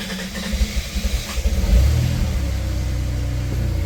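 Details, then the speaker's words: 1990 Dodge Grand Caravan LE, likely original engine at 275 (thousand), first start after at least 7 months in storage: rapid cranking about 1.5 seconds, then catches and settles into an even idle with no ticks or noises; charging, oil pressure up. Normal cold start. "No ticks, no noises. Once she primed, she came up. We're charging. Oil pressure is up and she's running."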